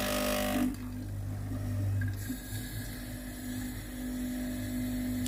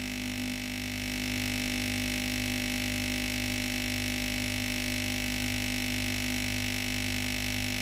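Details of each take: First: Philips GC9682 steam iron (complaint: no steam, leaking at the front) on a system test: boiler heats and steam escapes, low even pump hum with rapid pulsing, and water flows from the steam button. Normal pump operation. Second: Philips GC9682 steam iron, cooled then switched on with the steam button: the boiler heats and a steady electric pump buzz with a faint pulse is heard, but no water is drawn from the tank into the boiler. The pump has failed.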